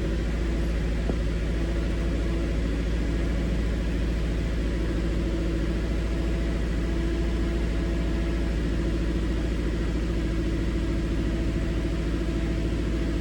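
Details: Rough, stumbling idle at about three beats a second instead of a smooth hum, consistent with a single-cylinder misfire; the scan tool shows no misfire count data.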